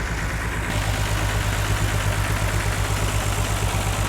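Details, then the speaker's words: Wrecked BMW 330i non-runner after clearing codes, now starting quicker: steady low idle thump with a periodic skip breaking the rhythm; misfire. "but it still seems like now it's got a bit of a misfire like we've fixed our problem yeah but there's still something else now"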